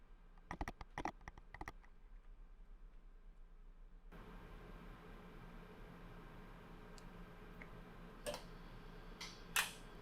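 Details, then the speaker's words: Universal Robots UR10e cobot powered on for the first time: a quick string of about half a dozen sharp clicks, then a quiet hum, as the axis brakes release normally and the robot enters normal mode. "hear the axis breaks clicking so now we've got robot active brakes released robot in normal mode"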